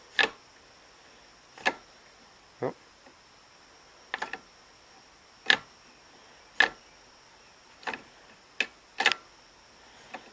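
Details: Impulse coupling on a 1958 LI Gravely magneto turned by hand in a quiet room: sharp, crisp snaps at uneven gaps as the coupling trips normally, producing spark.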